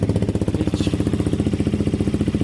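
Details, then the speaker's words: KTM 125 motorcycle with newly fitted Black Widow aftermarket exhaust, idling and revved: fast even popping with sharp puffing tick per pulse; small exhaust blow remains at a pipe joint not clamping well despite doubled-up exhaust paste. "Still got a little bit of blow here. It's not clamping too well on that one. It's not a huge blow, but it's there."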